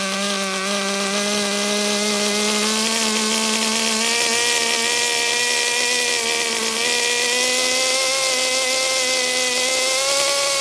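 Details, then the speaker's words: HPI Super Nitro RS4 Dodge Viper nitro RC car, cold engine at idle: buzzy high idle that wanders and blubbers slightly instead of holding steady; mixture too rich. "Too rich. Engine is cold."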